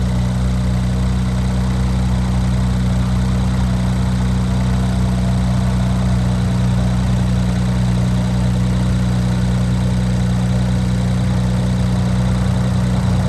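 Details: Infiniti Q50 3.0t (VR30) with FBO tune, just after installing new Alpha intakes and reconnecting sensors: strong, deep, steady idle holding an even note with no misses, ticks or hunting; idling cleanly and healthy.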